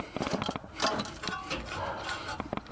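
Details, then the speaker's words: 1959 Ford F-100 pickup with a 3-speed, long-stored, rusted pulleys and no carburetor, engine turned slowly by hand: irregular scraping clicks and ratchet-like snaps; the starter seems engaged but the engine still turns. "You can hear the starter. Starter must be engaged, but it is turning."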